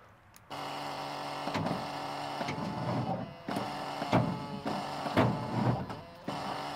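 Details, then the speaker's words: 1981 Kenworth W900 semi truck, out of gear; slow labored cranking in uneven clunky bursts about once a second with clicking between. Batteries lack power; suspected bad ground, cause not confirmed. "all right so she spins over i wonder what's clicking over here and why do these batteries not have power"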